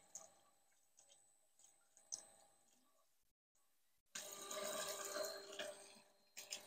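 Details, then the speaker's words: Polsinelli EP mini wine pump after rotor replacement, run at slowest speed: scattered drips and gurgles give way to a full steady water rush as it primes and flows normally. "donc là on a un bon flux parce qu'il est intéressant de suivre sur cette partie là qui est pas de cuite"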